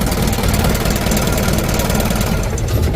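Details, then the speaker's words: Ragasa (cumplung) 100 PS diesel engine after injection pump plunger replacement, started by starter: steady low diesel clatter at an even idle, regular knock, starts easily and runs smoothly; normal diesel idle. "oke teman-teman untuk mesinnya sudah hidup teman-teman ya hidupnya sudah nyes tidak sulit"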